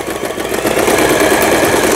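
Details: Lion Mising–sold Janome SS308 household sewing machine from 2011, about 15 years old, after repair (automatic threader replaced, lamp had burst); quick regular needle chatter building smoothly to speed without binding or clunks, sewing normally.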